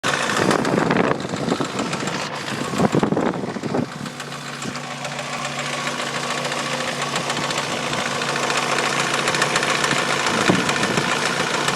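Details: Mazda Miata idling: light irregular rattle about three taps per second from the timing belt end, persisting with accessory belt removed; owner suspects timing belt tensioner or idler pulley, unconfirmed.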